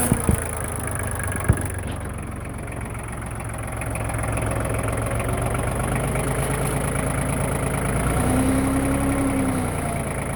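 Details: LK3054 diesel tractor idling after a low-speed road trip, 45°F outside: low moaning whine rising and fading about every six seconds, located near the hydraulic pump.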